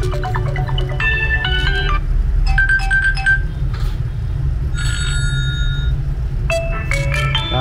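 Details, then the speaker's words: Huawei Y9 2019 phone playing its ringtone through a harsh, buzzing, crackly distorted loudspeaker before the speaker is replaced. "Nghe nó bị rè nữa, nó khẹt nó rè nữa. Đó, nghe nó rè nha các bạn."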